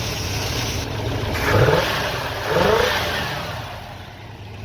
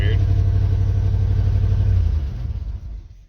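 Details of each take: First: 1968 Pontiac Ventura warming up after being resurrected: even running with two clean throttle blips that rise and settle smoothly, no misses or knocks; normal running. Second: Vehicle restart after short drive, turbo 400 transmission whine noted, good oil pressure and water temp: engine catches, runs lumpy and uneven, then stumbles and dies within seconds; abnormal starting noise, cause unclear.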